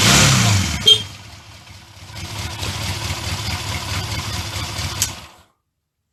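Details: Honda CD200 Benly, old bike on its second start attempt after petrol was added to the carburetor: catches after a brief crank, then a smooth, even putter with no knocks or misses; runs well, no leaks, good exhaust pressure.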